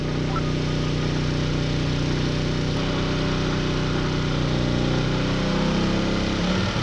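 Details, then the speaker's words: RV generator running air conditioner and toaster when a blow dryer is added: the loaded drone sags and wavers as the extra load drags the engine down and it goes into an overload fault. "Well, it looks like we're going into fault. So, AC, toaster, and blow dryer. Not good."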